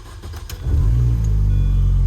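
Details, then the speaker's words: Project car started in neutral after about two months off the road, with the exhaust refitted, a coolant hose leak clamped and the O2 sensor wire reconnected: catches and settles into a steady, even, much quieter low idle with no knocks. "it's so much quieter and the speedometer works again cuz uh turns out it just unplugged itself"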